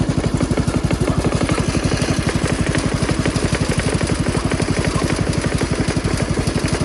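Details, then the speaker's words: Jacobsen Chief 1200 garden tractor with Kohler single-cylinder engine, cold start, parked in forward gear, running to drain the carburetor bowl: steady thump of about four firing pulses a second, even and unbroken, no misses; normal healthy cold idle. "I always like to just drain my carburetor ball so you guys get a couple of minutes to just listen to that Kohler idle."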